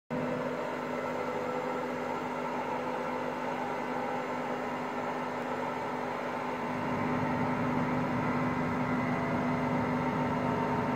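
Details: Hotpoint Aqualtis washing machine whose drum bearings just started failing that day: steady low rumble with constant hum under the drum, growing rougher partway through.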